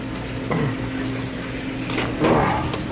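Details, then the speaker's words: Hydro-air boiler not heating the home's 2nd floor, feeder previously stuck, air being purged from the gurgling pipes: steady hiss and trickle of water running into the boiler in a quiet room; the feeder now passes water properly. "yeah well the feeder was stuck when I first came here so let's see if it works"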